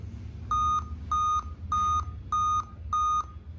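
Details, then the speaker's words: Dell Vostro 2520 laptop, board 11280-1, which powers on and boots to Windows drawing about 8–9 A: five clean, evenly spaced, high-pitched beeps repeating continuously. POST beep code; an RTC section fault is suspected. "लेकिन इस पर मेरा सारा कुछ open हो रहा है, लेकिन ये मेरा बीपिंग है, जबकि इस तरह का बीप देना नहीं चाहिए था, बट ये मेरा कंटिन्यूअस ही बीप दे रहा है।"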